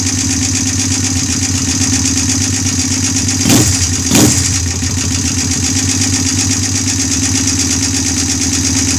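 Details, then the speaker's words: Honda bobber build first startup on OEM carburetor: steady single-cylinder idle with fast light ticking and brief blips; owner suspects valves need adjusting again. "sounds like i gotta adjust the valves again now"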